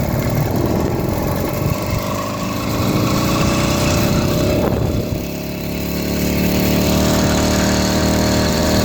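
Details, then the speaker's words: 80cc two-stroke motorized beach cruiser bicycle ridden under load: buzzy note wavers, stumbles and surges unevenly instead of pulling into its power band; rough running, cause not found, later a replacement performance carburetor made it run well. "Pulling the clutch right now, but I can't. It just isn't giving me that power band that should."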